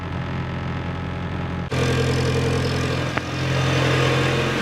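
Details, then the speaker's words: Mitsubishi Evo after rebuild, previously hunting idle around 2000 rpm, now with an intake boost leak found and fixed: cold fast idle around 1500 rpm, even steady hum, smoother and quieter exhaust, no misses or surging; normal. "sounding good it's sounding a lot better already a lot smoother before at idle it would sound like a rally car from the exhaust it was like now it's like very smooth it's quieter as well"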